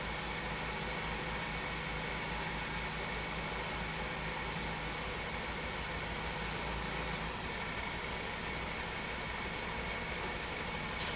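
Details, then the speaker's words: Ford four-cylinder at idle, firing order 1-3-4-2, cylinder 3 ignition coil unplugged to create a misfire for a ThinkDiag scan-tool test; the PCM shut down that cylinder's injector. Repeating low stumble under hiss, one cylinder dropping out: dead-cylinder misfire. "now it's bad i unplugged the ignition coil and it shut down the injector in that circuit"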